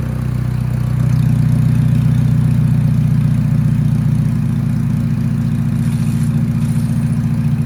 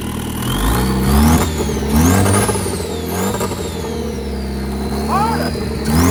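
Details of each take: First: Budget drag-race beater car with a turbo being installed, run with a sensor plugged in just for testing: a low, lumpy idle with an uneven, stumbling beat and unsteady throb; it runs rough and the cause is unknown. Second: Drag-car project engine, first turbo test in park, rev-limited to 4,000 rpm, exhaust held by only two bolts: clean turbo whistle rising and falling with each rev, engine pulling smoothly; healthy turbo spool.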